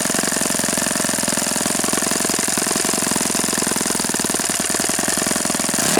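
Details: Repaired OS FS-48 Surpass four-stroke (repaired blown-out crankcase) on test stand, seeking peak RPM on the given prop: high, buzzy note held steady at full revs, crisp even firing, no rumble or grind, bearings healthy; mixture richened after knocking. Normal run.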